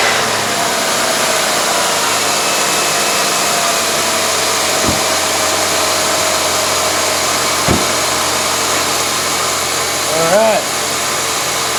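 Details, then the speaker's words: 1999 Grand Am 2.4L after timing chain replacement, still idling rough and smelling rich: constant high, hissy rasp over the idle from a worn, noisy AC compressor clutch; AC also leaking. "know that that noise you're hearing is the uh ac compressor clutch it's a little noisy but i wasn't going to replace it till i see where the ac is leaking at first"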